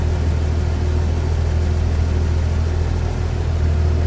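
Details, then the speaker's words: 1953 Chevrolet Bel Air hardtop, inline 235 six, 6-volt system, heard with the hood open at the engine bay; low, steady hum with an even beat around four per second, no knocks or misses; smooth, quiet normal idle. "And engine bay. That is one smooth runner."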